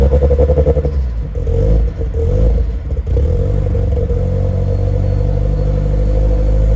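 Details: Nissan S14 just refuelled with 93 octane, being revved: a lumpy, pulsing idle with uneven revs and sharp exhaust pops between blips; it runs but still needs tuning, and flames were reportedly seen earlier.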